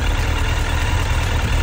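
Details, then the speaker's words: 2008 Suzuki GSF1200S Bandit, last carbureted version, slightly warmed engine at idle: low, steady, even beat, no sneezing or stumbles; tank being removed to inspect vacuum hoses for idle sneezing, but it runs smooth; normal idle. "Вот так он работает в принципе он немножко уже прогрелся вот так он работает не гает в принципе ровный"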